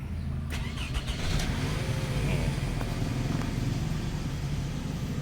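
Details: 3-cylinder car that had shaken on start with VSC, TRC and slip lights on the dash, after the throttle body butterfly was repaired: it catches cleanly into a steady, even idle, no warning lights.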